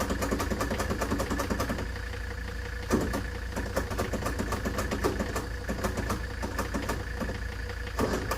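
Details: Ford Taunus 60-degree V4 in a 1970s Layton roller compactor, said to run about 20 seconds then die, spins over with a steady cranking churn and occasional thumps but never catches.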